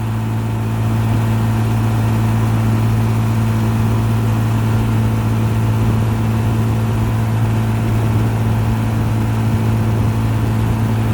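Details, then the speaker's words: 1955 Johnson QD 16 10 hp outboard, after new condensers, carburetor kit, water pump and seals, pushing a 14 ft Blue Finn deep V at 13–14 mph: steady low drone with an even, unbroken tone, no knocks or misses; revs pick up out of the wind. Healthy. "Get out of the wind, I can hear the RPMs pick up a little"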